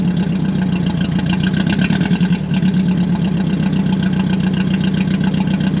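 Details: Budget Mercedes-Benz project car first start after cleaning corroded terminals, no exhaust fitted: loud open-exhaust idle with uneven lumpy pulse and irregular stumbles, missing on a cylinder.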